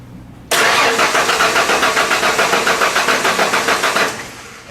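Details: 1996 Ford F-150 no-start: even starter cranking at about three and a half beats a second for over three seconds without catching; crank, no start.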